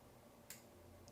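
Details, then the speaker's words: Audio Analogue AAphono phono preamp: relays tick crisply with each press of the hidden microswitch buttons when selecting MC and its load resistance; normal relay switching clicks. "ogni volta si sente il ticchettio delle le quando vado su mc possa andare anche a scegliere praticamente la resistenza in home di quelle che sono le m c"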